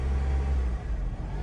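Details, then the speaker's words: 2003 Honda CR-V with pending P0505/P1505 idle air control codes, idle air control valve replaced twice, hoses checked, relearn at 3000 rpm tried: engine drone stays high, dips after a blip, then climbs back to about 2000 rpm; worse when the steering wheel is turned. "This is the codes stays pending as you can see. And that's what happens. Stays at 2,00."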